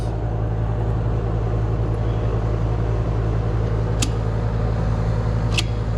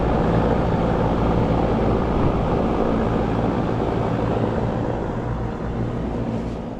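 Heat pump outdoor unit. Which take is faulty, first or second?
first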